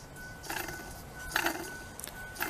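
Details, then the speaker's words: Old water pump removed from a Ford 4.6 during timing cover job, spun by hand: three gritty, raspy whirs from worn bearings inside; being replaced with a new pump. "You hear that? Those are bearings inside there."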